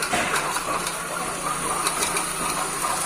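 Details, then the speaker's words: 2006 Ford Focus 1.6 at idle before repair: a hissy, gravelly whir over the engine, steady and unchanging. It comes from a faulty water pump, and the pump was replaced. "Então galera eu tocozinho é 1.6 que tava com barulho na bomba já foi trocado vamos v"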